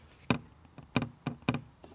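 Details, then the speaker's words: Jaguar XF (X250): sharp hollow plastic knocks, five taps in two seconds, as seat belt buckle caught between seat and pillar rattles against cheap plastic pillar trim while driving alone. "that is rattling the whole time um I don't know why it's so they're really cheaped out on this piece it's um could have been done a lot better"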